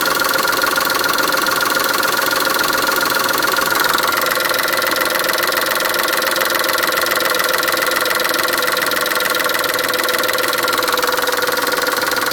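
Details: Chrysler Stratus/Cirrus engine while accelerating after timing belt change: fast, uneven rattling ticks about three or four a second over a busy engine; cause unclear.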